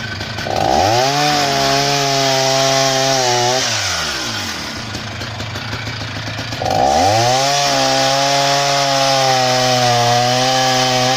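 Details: Husqvarna 480 CD chainsaw on its first tank after a full rebuild with new OEM piston and cylinder; two clean pulls to full revs, steady high howl dropping as it bites wood. Normal running under load.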